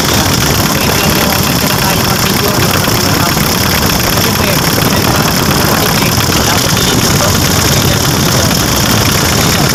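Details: Mitsubishi L300 FB, 4D56 diesel, after fixing low power and stalling at the fuel pump assembly: strong, even running with no stumbling, hunting or misfire; engine pulls cleanly and sounds healthy.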